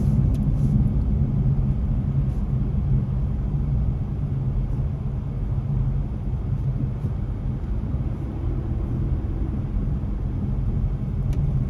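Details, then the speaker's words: Truck at highway speed after swapping the front and rear tires; front driver side previously noisy despite new bearings, ball joints, tie rods and tires. Steady low road rumble and drone with vibration underneath. Owner suspects the new thick-tread tires, alignment or balance; unconfirmed. "Yeah, I could hear a little bit I could still hear some vibrations underneath. because of the tire is new and thick treads, maybe this caused the vibrations or the noise."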